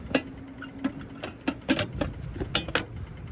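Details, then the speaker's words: Fujitsu ductless mini split that was tripping its breaker, on startup after pulling a tab holding it closed: sharp dry clicks, about eight in three and a half seconds, unevenly spaced; valves opening, normal. "but you can hear that clicking that means things are happening valves are opening"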